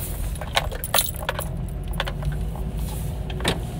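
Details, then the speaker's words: Honda CR-V on a test drive with the windows up: sharp isolated clunks at irregular moments over road noise as the power door locks actuate by themselves; owner reports they go crazy after every stop, and the doors also unlock right after being locked. "Okay, they just locked. And he says after every time he comes to a stop, they go crazy."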